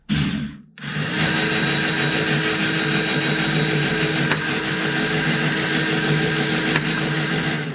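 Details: Prometheus blaster after a brushless upgrade with Sunny Sky 2216 2600 kV motors and aluminum flywheels; bolts not yet tightened, test run. Steady high whir holding speed, with two quick snaps as darts pass through; running clean and even.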